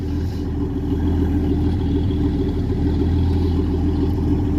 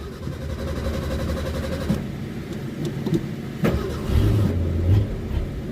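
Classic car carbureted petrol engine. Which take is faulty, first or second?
second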